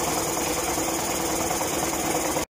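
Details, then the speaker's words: Evinrude 40 HP two-stroke outboard in test tank after throttle synchronization and timing adjustment, target idle 750 rpm at about 4 degrees: steady even buzzing idle, no misses or surging; normal idle. "so at this point it was running about as good as I think I'm gonna be able to get it"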